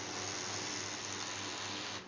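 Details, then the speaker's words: HP LaserJet Pro M402dn during a test print: loud, steady rasping grind throughout the print cycle that drops away when printing ends, though prints come out fine; the grind points to worn, flattened teeth on a rear drive gear. "এই দেখেন, ঘর ঘর শব্দ করতেছে,"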